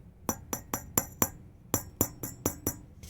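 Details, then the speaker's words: Tube amplifier power tubes tapped in turn with signal off, mic held next to each: three give a dull thump, one rings on with a clear high ping; microphonic bad power tube. "Hear how these three have like a thump, but this one rings."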